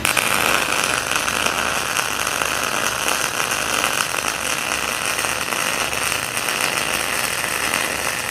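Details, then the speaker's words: PrimeWeld MIG160Ts MIG welding a T-joint with the settings turned up to max after earlier sputter: a steady, even crackling sizzle with no pops or sputtering gaps across the bead. A smooth, well-set arc. "Alright, that looks a lot better. That sounded a lot better too."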